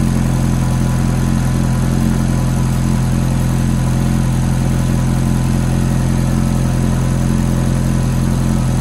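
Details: Ferrari F430 V8 at cold start idle: deep even rumble with a faint light ticking pulsing along with it.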